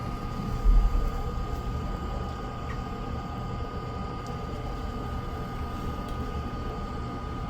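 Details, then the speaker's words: Ice-O-Matic GEMU090 flaker ice maker whose complaint was not making ice; the compressor has just turned on and the evaporator is cooling. Deep even hum with steady fan rush and a faint higher tone. Running smoothly. "So this will take a minute for it to push the ice up and a refrigeration system to get the evaporator cold enough for the ice to appear on the walls."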